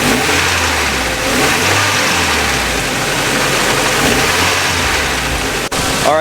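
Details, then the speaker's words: Nissan 240SX S13 with KA24DE engine, after the timing chain guides were removed, warmed up: smooth idle and revs with no timing chain rattle or ticking; normal. "now that the car has been running for a little bit i just kept it idling it actually runs a lot better now and there's no sound whatsoever of the timing chain or anything like that"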